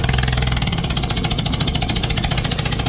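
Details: Sea-Doo jet ski that nearly sank in a lake, cylinders cleared of water before relaunch: engine fires and keeps running with an uneven pulse of about three or four beats a second, little smoke. Running after water ingestion.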